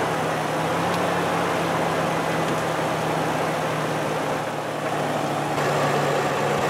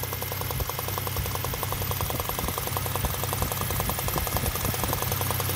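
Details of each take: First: V6 petrol engine idling steady and even with no knocking or ticking after spark plugs were torqued and ignition coils refitted, curing an earlier knocking noise; normal idle. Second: V6 engine at idle with fast, sharp ticking over steady idle, first suspected as unlubricated camshafts, actually combustion gas puffing past a loose spark plug; fixed free by tightening.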